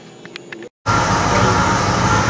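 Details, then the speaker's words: 1969 Firebird 350 V8 with homemade backyard exhaust, joints welded to seal earlier leakage: steady, even rumble with no ticking or puffing; exhaust sealed, sounds decent. "we watered them up buddy sealed up sounds pretty decent there's only stop 350 it ain't some powerhouse by any means but you know it'll do job"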